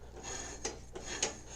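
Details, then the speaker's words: Early-90s Mastercraft (MTD) riding mower during belt removal: a gritty, scraping crunch on every slow hand turn of the pulley, with rust on the belt side. Rough, rusty pulley bearing. "get the belt out the pulleys yeah you can hear how crunchy that is"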